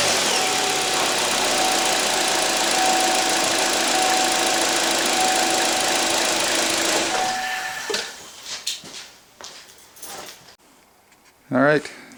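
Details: 2014 Chevy Cruze right after battery replacement: steady, smooth engine hum with even light ticking for about seven seconds, then cuts off; healthy start and idle.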